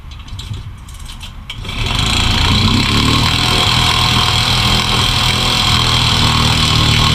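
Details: Newly bought gas outboard for a jon boat, test start: fires within a couple of seconds of cranking, then settles into a fast, even idle with no stumbling. A healthy outboard that starts easily every time.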